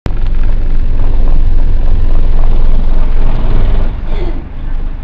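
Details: First Manchester Dennis Dart SLF bus diesel, recorded 4 June 2010: heavy low rumble with uneven lumpy beat of about three or four pulses a second; rough idle.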